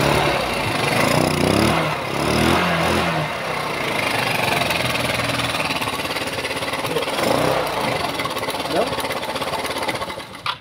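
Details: Rusi Motorstar GY6 scooter that would not start, after repairing the starter (XRM 110 carbon brush usable) and fixing its ground: steady fast even putter, no knocks or misses; runs normally.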